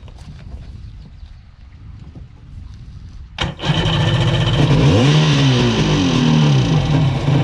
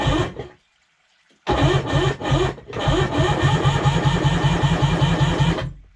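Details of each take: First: Sea-Doo HX jet ski with shaved head for extra compression, first start of the day out of the water using a primer kit: catches quickly, revs with a climbing buzz, runs cleanly about four seconds; normal start. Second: Sea-Doo HX PWC with a shaved head for about 20 psi extra compression, compression tester fitted, reading 120. The starter drags slowly, two or three pulses a second, and it never fires. A low battery or the higher compression is suspected. Slow cranking.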